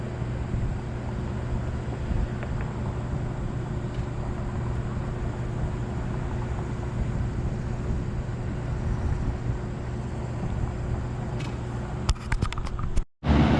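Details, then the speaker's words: Trane rooftop unit condenser fan running freely with a low steady constant hum and no rubbing or scraping, after separating the gasket material on the fan motor that had caused a noise; now sounds like a normal fan motor. "right guys I got her back on that sounds a lot better since I separated that little gasket with your material on there"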